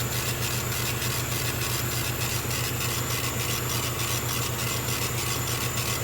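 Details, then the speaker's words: Small air compressor supplying a laser engraver during an engraving job, kicking in as needed and quieter than typical compressors. Steady low hum with quick, even pulsing of about four beats a second and no knocks; running normally. "a wonderful little air compressor will keep kicking in that their first drop thankfully is not as noisy as average 50 meter air compressor"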